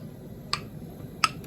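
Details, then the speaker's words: Two sharp metallic pops about 0.7 seconds apart in a quiet room as jars of home-canned chicken broth cool after removal from the boiling pot; lids snapping down as they seal normally. "you'll hear them popping as I'm taking them out and what it is is the lids are sealing so that one just sealed"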